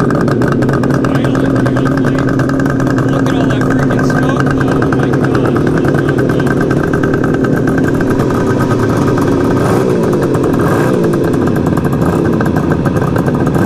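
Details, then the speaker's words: 1973 Suzuki GT550 two-stroke triple, first start after 10 years stored, choke off: busy crackly idle, fairly even; runs but heavy exhaust smoke, owner suspects a blown crank seal, unconfirmed. "yeah this thing is like a smoke bomb or a smoke machine or something it sounds amazing though got a lot of crap coming out of the exhaust pipe guys I mean a lot"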